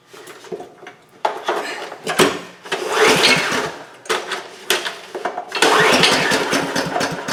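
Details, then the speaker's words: 2008 Homelite HG1800A 1800-watt generator on starting-fluid test: catches in ragged bursts but won't keep running; it has compression and spark, pointing to a fuel delivery fault in the carburetor. "okay so there that that ran for us a little bit on the starting fluid so that means we that compression and it is getting spark even if the switch is in the off position"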